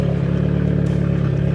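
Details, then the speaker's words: Audi A3 8P just after startup: a loud, coarse, pulsing, uneven idle, sounding horrendous. The owner attributes it to intake manifold runner flaps stuck open. "do still have the issue of the intake manifold runner flaps being stuck open. As you can hear, it sounds absolutely horrendous."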